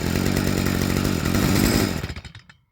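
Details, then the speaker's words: Stihl FS55R trimmer two-stroke after a HIPA carburetor swap: a quick, even buzz with no surging, after the low-speed screw was turned back in until the idle rose smooth. Normal smooth idle. "So, I want to turn back in easy, just until that idle picks up nice and smooth."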